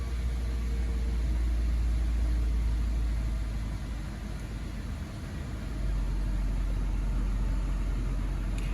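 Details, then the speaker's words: 2013 Honda Civic after replacing a cracked air intake boot between air filter and throttle body and cleaning treatment, idling without throttle: steady hum with a slight dip, idle recovering toward normal as residue burns off. "so just let the vehicle idle do not accelerate just let it idle for a little bit it'll clear out and you can see slowly the idle is coming back to where it's supposed to be"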